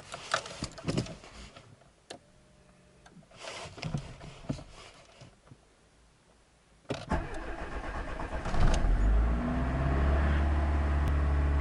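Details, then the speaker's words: Car engine after an oil and filter change, oil pumped through with starter cranking without ignition first: brief crank, clean catch, smooth steady idle without knocks; oil pressure light goes out, pressure normal. "лампочка погасла, давление нормальное. В общем, всё работает, проблем никаких нет."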